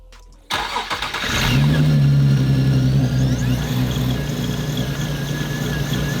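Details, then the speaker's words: Supercharged car after a supercharger oil change, described as easy to start and turn-key every day: catches instantly, brief rev flare, then a smooth steady idle with a faint even whine; healthy start. "this car is a blessing man it's easy to start up it's turn key every single day basically like it's off the lot"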